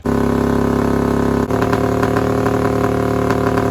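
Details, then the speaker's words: Half-scale NASCAR kart with new custom aluminum intakes, fuel pump primed: loud, fast, steady idle that sharpens and pulses; responsive but high idle. "Now, I don't know if you guys are able to hear anything I was saying because it is so loud, but it's super responsive. It's running great. It's just having the high idle."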